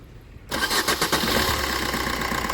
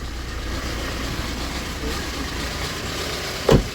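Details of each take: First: Suzuki Swift diesel started after its loose, stretched timing chain was fixed, with new oil, oil and air filters and coolant; it catches at once into an even, steady idle with no chain rattle or knock, a normal start and idle. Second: Maruti Swift diesel, about 96,900 km, hard starting and low pulling: idle with loud, loose, busy clatter and a sharp knock; timing chain loose, suspected stretched and lacking lubrication, timing shifted.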